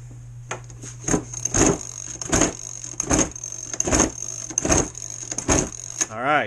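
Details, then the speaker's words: Cold two-stroke RC boat engine, not yet run that day: repeated pull-start cranks about once a second with no firing between them. The engine is too flooded with fuel. Flooded engine. "right, that is too flooded. So, if that's the case, this is a cold engine."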